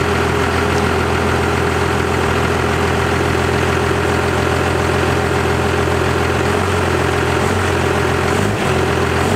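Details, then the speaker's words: 1st gen Cummins diesel, power screw readjusted for new 3200 governor spring: steady idle with usual low clatter, holds speed evenly without hunting or surging; normal idle. "but we got the first chin pump sorted out apparently the power screw just had to be readjusted with the new 3200 governor spring due to basically it changing the feeling a little bit"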